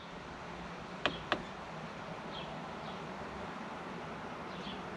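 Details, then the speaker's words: 2019 R-pod 180 MaxxAir/Fantastic roof vent fan, after the squeak repair with motor and blades refitted: two switch clicks, then a soft, steady whir with no squeaking, whisper quiet. "oh yeah whisper quiet baby love it"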